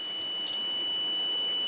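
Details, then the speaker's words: RCA 14BT1 battery-operated tube radio on a battery eliminator: tester gives a steady high-pitched beep for about two seconds, showing the plate (B+) supply at the audio output transformer shorted to ground; only a faint hum came from the speaker. "we have a short so now we need to find out what shorted"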